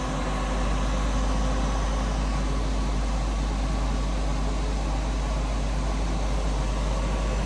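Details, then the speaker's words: Centrifuge spinning up toward 3,000 rpm at 4 °C for 10 minutes with a balanced rotor: a steady deep hum with an even whir and no knocking, wobble or rattle, normal. "When we see the RPM going up fast, you can hear it humming the whole machine a little bit."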